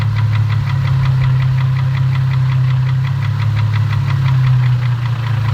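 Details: 2004 Infiniti G35 at idle: a steady low drone with a quick, even tapping knock on every revolution and a rough idle; owner suspects rod knock, not confirmed.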